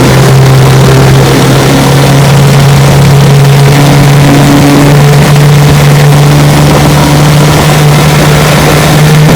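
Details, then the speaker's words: 1972 Johnson 9.5 hp outboard, light restore with carburetor, tune-up kit, ignition magneto and lower unit seals redone, test run on the water: loud constant buzzing drone at steady throttle, no sputtering; runs smoothly. "it's a light restore fully mechanically restored carburetor tune-up kit ignition magneto lower unit seals everything redone and she runs great"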